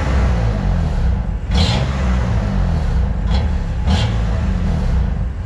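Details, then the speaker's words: BMW M2 Competition (F87) after a Nürburgring GP trackday, where it showed slight power loss under full acceleration: deep engine drone under load with short sharp metallic chirps about every second. The source is unknown; a leaky exhaust was suspected but nothing was found. "das Geräusch das klingt auf jeden Fall ein bisschen metallisch aber ja ich kann es schwer zuordnen"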